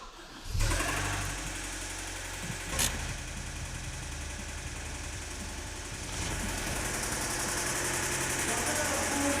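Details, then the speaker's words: 2010 Hyundai ix35 (G4KD engine, FWD, manual, about 252,000 km), warm from a heated garage, before repair, oil rarely changed. Harsh, fast metallic knock at idle, about four beats a second. Spun rod bearings suspected. "Ох Так это же вкладыши наверное нет хотя вкладыши когда нагреется стучат какое-то жуткое что-то жуткое"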